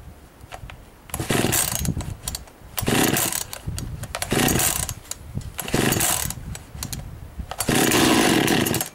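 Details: Husqvarna 51 two-stroke chainsaw, first start of the year after most parts and casing were replaced last year: repeated crisp, even full-throttle snarls dropping back between bursts; healthy running.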